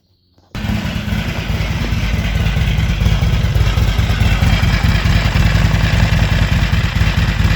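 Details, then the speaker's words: Harley-Davidson XR1200 primary drive at idle, outside: heavy low thumping with a coarse, uneven rattle on top. Oil changed, no metal particles in it. "working on the Harley again still trying to chase down this noise that the primaries making"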